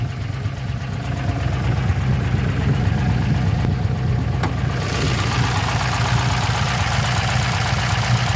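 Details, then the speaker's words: LQ4-swapped LS V8 with Stage 3 BTR truck cam, beehive springs, DOD delete and Delphi LS7 hydraulic roller lifters, heard under the hood at idle: deep steady idle with a light quick valvetrain tick; owner suspects low oil pressure. "think I figured out what my valve train ticking noise is. I'm pretty sure I'm supposed to have more oil pressure than that."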